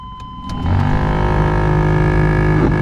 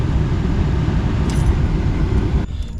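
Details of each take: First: 1991 Chevy C1500 OBS truck, key on, engine off, AC blower on high: loud droning hum with scraping catches a few times a second; worn blower motor to be replaced. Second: 1991 Chevy C1500 truck after replacing the bad AC blower motor, key on, engine off, fan on: smooth even rush of air with low steady rumble, no squeal or ticking; new blower silent as intended.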